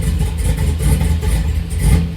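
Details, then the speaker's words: Pontiac GTO after a fuel system upgrade with big fuel injectors, a retuned PCM and a nitrous setup. Deep, lumpy idle with uneven low thumps that never settle into a smooth beat; the rough idle is blamed on the oversized injectors. "idles a little rough because the fuel injectors are really big"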